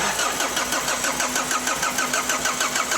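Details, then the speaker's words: Opel 1.9 diesel that won't start cold in frost, cranked on the starter with the injector return lines removed and plugged: steady cranking with no firing; all four previously repaired injectors leak into the return. "І всі форсуночки течуть. Хорош. Всі чотири льють в обратку."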